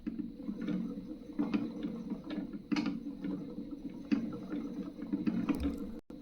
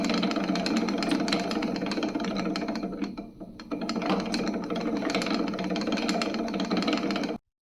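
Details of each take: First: Spinning wheel bobbin after fixing excess play between bobbin bore and spindle that made it bounce and clack; now a low, even wooden whir with soft rhythmic ticks, spinning freely and quietly. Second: Spinning wheel bobbin with too much play between its bore and the spindle, jumping and clacking loudly against the spindle in use: fast, uneven wooden clacking, three or four a second.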